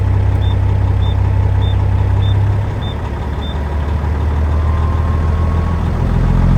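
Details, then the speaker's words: International 9370 truck diesel just started after sitting, idling to warm up and charge the batteries; six evenly spaced high beeps, about two a second, over a deep steady idle, warning active, cause unknown. "Listen to that annoying beeper."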